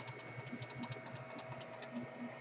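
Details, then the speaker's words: Anycubic Chiron 3D printer, Z axis with repositioned bearing and better cap and support: soft rhythmic stepper buzz with faint regular knocking, quieter than usual, but some Z wobble remains, less obnoxious than before. "It has a better cap, better support, and it still allows, you can see it move, it still allows for some Z wobble."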